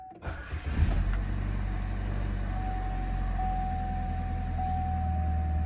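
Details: Chevy Malibu, 181,000 miles, first start after P0016/P0017 repair with new valve cover and fresh oil change: starter cranks briefly, engine catches and settles into a steady low idle with no knocking or rattling; normal start and idle.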